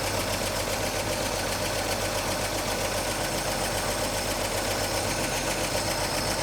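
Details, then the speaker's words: 1941 Chevy coupe straight six, idle set high, carb being adjusted; fast idle with uneven beat and occasional stumble; owner suspects a sticky valve or excessive valve lash, plans to check it; not confirmed. "It's got a little hiccup in it. And I think uh I want to check the valve latch. It's a little rough. Might have a valve sticky or too much clearance or something like that."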